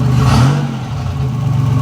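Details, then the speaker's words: 1985 Nissan 300ZX Turbo (Z31) on a short drive with radiator fan removed, after new spark plugs and wires and a torn charge-pipe hose patched with scrap hose: deep loud exhaust rumble swelling with a blip and settling smoothly, no stumble or miss; runs and drives well. "that's huge this thing runs and drives good now that exhaust is terrible"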